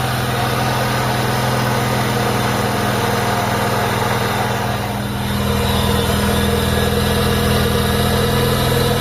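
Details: Mitsubishi Lancer GLXi engine idling with a constant rough grinding hiss near the timing belt side of the engine bay, traced to a worn AC compressor pulley bearing.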